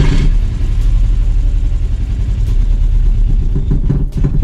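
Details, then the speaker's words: 1986 VW Golf 2 with a 1.8 GX 90 hp engine, stood nearly five years, running very badly after ten minutes despite a fuel system cleaner, with spark confirmed: an uneven, lumpy rumble that stumbles and surges, from a vacuum leak and mis-set ignition timing. "раз короче минут десять она сейчас работала и работает до сих пор очень плохо и короче ничего не помогло"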